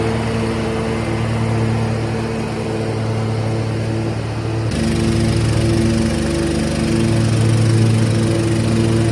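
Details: MTD Gold garden tractor with 54-inch deck, 26 hp Briggs & Stratton V-twin, about 447 hours, after the electrical fault was fixed. A smooth, steady drone rises cleanly when the throttle opens partway through, with no knocking or surging. Normal running.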